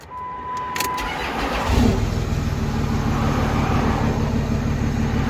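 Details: Diesel truck after transmission pulled and reinstalled with crossmember and driveshaft: door chime, short crank, then steady, even diesel clatter at idle with no knocking or rattles; normal start and idle.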